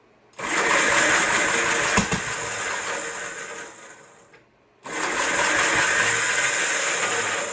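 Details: 1958 Gravely Model L small single-cylinder engine, first start after lubing the chain, choke on, starter clutch has been slipping: catches and runs, dies away, then restarts and holds a steady, even buzzing run; running properly.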